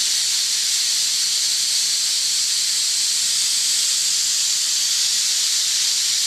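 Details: Homemade steam safety valves; steady, sharp hiss of steam venting at full flow with no chatter or sputter, valve lifting cleanly: normal safety valve lift.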